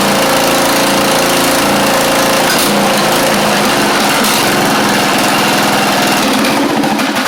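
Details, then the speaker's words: Craftsman YT4000 riding mower engine, first run, fuel freshness doubted: single-cylinder note wavers and stumbles with uneven beats and surging speed; carburettor said to be not really good, rough running. "So, we got the idea that this thing does run even though that carve is not really good at all."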